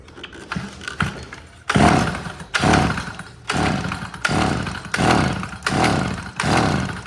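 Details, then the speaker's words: $5 yard-sale two-stroke curb edger with no gas tank, with 2-stroke mix dribbled into the carburetor and pull-started. Short ragged buzzing bursts about once a second show good spark and compression, and the crank seals are dry: runs on primed fuel. "Well, I'll be dead gone. So it does run on the gas that you put in there. That's going to test a couple things. Obviously, it tested spark, it tested compression, it actually ran."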